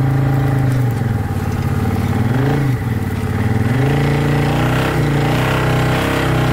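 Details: 2012 Arctic Cat Wildcat 1000 side-by-side drifting hard and doing donuts in snow: strong clean engine note rising and falling with throttle, no knocks, misses or rattles; normal running under load.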